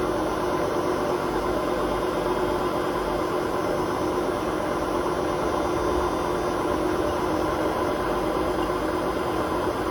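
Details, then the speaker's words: Hotpoint WMA32 washing machine at 600 rpm spin with bad drum bearings, awaiting replacement: steady coarse rumble, the bearings bumping and clattering. "Don't squeak this time, but the bearing noise. You can hear the bearings actually bump, like, what they call clattering a bit."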